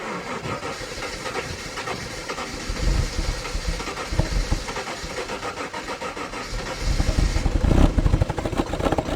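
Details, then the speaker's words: 1997 Jaguar XJ6 X300 3.2, 5-speed manual, spluttered to a halt while driving, with a jump pack attached. Starter turns it over in uneven bursts, no firing. Owner suspects a faulty crankshaft position sensor. Cranks but won't start. "I guess not at the moment so whilst I struggle with getting this car to fire up"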